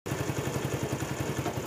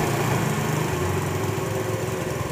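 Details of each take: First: Honda CD70 motorcycle after carburetor/petrol setting adjustment: small single putters at an even, steady idle with no misses, surging or clatter; setting is right, expected fuel average around 50 km or more. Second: Honda CD70 motorcycle just after its carburetor was fitted: single-cylinder engine buzzes at a fast, steady idle without hunting; idle rpm is high and will be turned down during carburetor setting.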